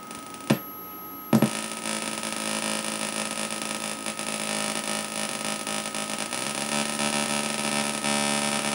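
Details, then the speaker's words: 555-timer Atari Punk Console, control turned fully down: harsh buzzy square-wave tone wobbling and stepping in pitch instead of one solid tone; quirk in circuit, cause unknown. "when you turn this all the way down to the botom I sort of feel like it should sound like that it should be one solid tone but something's kind of quirky and not quite right"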